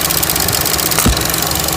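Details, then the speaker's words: 2013 Chevy Cruze with MAP sensor and vacuum-leak codes from a failed PCV system in the valve cover: steady idle with a fast, constant light ticking on top; purge valve clicking all the time, stuck open. "the second issue here clicking all the time it's not supposed to be doing that"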